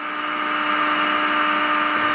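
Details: GE radio converted into an AM transmitter, during IF alignment with a signal generator: a steady, clear low tone over constant hiss, strong and even, with the first IF stage peaked.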